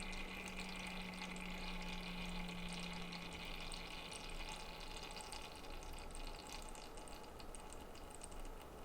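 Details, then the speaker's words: Thermalright 360 AIO pump on a test bench, speed lowered to 25%: the pump ramps down, its low hum and bubbly trickle fade, leaving a soft, even whir. Normal quiet pump operation. "away and now it's decently quiet you guys you guys can actually hear me talk now eh"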